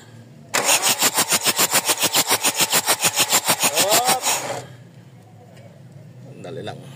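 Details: Mazda BT-50 pickup with WE 3.0 DI turbo diesel, hard starting and now not starting: steady cranking at about three and a half turns per second for four seconds with no firing, then silence; cause not confirmed.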